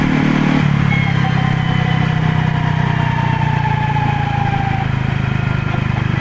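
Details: Used Honda PCX (JF56) scooter: thin whine sliding down in pitch each time it coasts off throttle, none while accelerating; metal fragments in final reduction oil, broken gearbox countershaft bearing found, fixed by replacing it.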